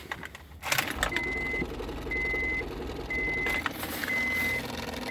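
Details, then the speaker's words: 2000 Honda Accord, intermittent crank-no-start despite new fuel pump and fuel relay: steady high-pitched beep-like buzz repeating about once a second, seemingly from under the passenger-side dash; cause unknown. "that I don't know where that sounds coming from it sounds like it might be in the dash under the dash and you're the passenger side"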